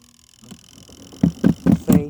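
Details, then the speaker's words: Portable washer's spin dryer with a load of tops: heavy rhythmic thumps about four a second build as the drum spins; load off balance, because a top wasn't pushed down straight into the basket. "See, if you don't turn it on slow, it'll get off balance right away."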